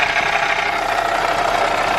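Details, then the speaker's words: Supercharged Audi S4, bonnet up at idle; loud busy mechanical clatter and steady mid-pitched whir, owner says most noise comes from the belt and supercharger pulley, still loud ten steps away. "as you can hear the majority of the noise is coming from the belt here"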